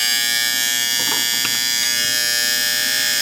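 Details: Late-1960s/early-1970s Sankyo Seiki mechanical digital rolling clock. The alarm buzzer is driven off the motor winding. A steady, raspy, high buzz with no stutter or dropouts. Normal alarm buzzer operation.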